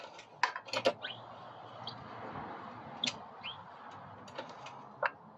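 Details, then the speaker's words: Built 212 (B200) racing engine that lost power and knocked during a race, with the spark plug removed and the plug black from running rich. Short high squeaks each time the crank is rocked by hand and reverses direction; the source is unknown. "you can hear it kind of squeak when it changes the direction is that normal"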